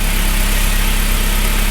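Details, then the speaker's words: MK1 Audi TT just after head gasket job, run briefly without coolant: steady, even low idle with no knocks, ticks or misses; runs healthy, no oil leaks. "it lives it lives Bros it is running and it is good we are good there's no leaks"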